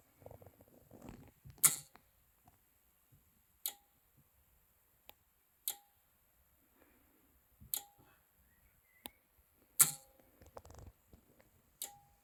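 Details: Anker Solix C1000 power station, firmware 1.5.4, in UPS mode with routers and charging cable plugged in: sharp single click about every two seconds as AC charging relay cycles on and off, suspected near-full state of charge, not confirmed.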